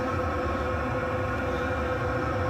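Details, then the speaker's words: Chinese all-in-one diesel parking heater in shuttle bus RV conversion, recorded at exhaust pipe under bus at first test fire: soft steady whooshing hum like a boat bilge vent, quiet, no sputter; burning clean, normal running. "So there's the exhaust pipe coming out from under the bus. That's the sound of it there. Not very loud at all. That wouldn't bother anybody. It sounds like if anybody's ever heard a bilge vent on a boat, kind of sounds like that."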